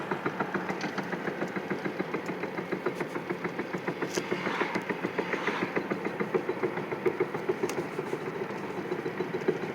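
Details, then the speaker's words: 2007 Chevy Impala driving, after wheel bearing, rotor, caliper and pads replaced following a seized caliper: steady rhythmic thumping three to four beats a second with shake and wobble; wheel-end fault, cause unknown. "okay it's uh still december 11th 2020 and i have this noise and shake in my car and i want to know what it is"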